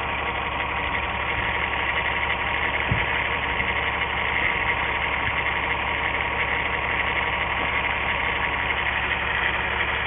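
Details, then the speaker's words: 1997 VW Eurovan 2.6L VR6 AES, waste-spark coils, multiple misfire codes: idle slightly lumpy with occasional stumble, no change and no spark tapping when cylinder 6 plug lead pulled; failed ignition coil causing misfire. "okay i'm now trying to pull off the number six and uh i don't know how well you can see that but no change in the engine and no absolutely no tapping noise where the sparks jumping and no visual sign of the spark jumping either"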